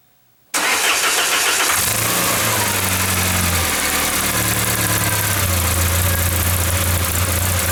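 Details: 1994 Saab 9000 non-turbo 5-speed, injectors rebuilt, vacuum leak plugged, new battery: engine fires, settles, then idle drifts up and down, surging; data stream good, compression good, owner suspects throttle position sensor, unconfirmed.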